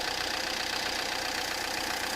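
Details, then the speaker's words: Peugeot Partner 1.9 diesel idling: sharp, even metallic clatter, excessive engine noise; mechanic suspects wrong timing-belt setting caused piston-to-valve contact, valves knocking; not certain. "ولو تسمعوا فيه الصوت هذا متاع المحرك باش سمعوكم يعني زايد، وانتم نفسكم تحكموا معي"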